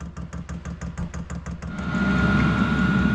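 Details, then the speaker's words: Newly installed Chinese diesel heater on 12-volt wiring, first start-up: quick steady fuel pump ticking, then a smooth blower rising to a steady hum, blowing hot air; no expected smoke from the wet wrap. Normal start-up. "I don't know what I did, but it's on. I expected it to smoke because of that wet wrap I put on there. It's blowing pretty good."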